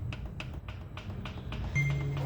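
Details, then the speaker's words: Fiat Argo 2022 ex-fleet engine, off and opened up, with the cylinder 2 piston rocked by hand; sharp repeated knocks about three per second, far more than cylinders 1 and 3; excess skirt clearance, piston slap. "vendo o segundo batendo agora vou colocar aqui o primeiro e o terceiro para você ver a diferença ó já não bate igual o segundo bate muito mais muito mais o segundo certo"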